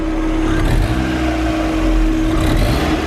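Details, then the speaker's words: Used car being inspected before purchase, with the oil filler glove test drawing in: a short throttle blip rises and settles cleanly, a smooth rumble with no knocks, rattles or clatter; it runs slightly temperamentally but the engine sounds sound. "Okay, so it's running a little bit temperamentally at the moment, but all in all, I'm okay with this engine. There are no undue noises coming from anywhere."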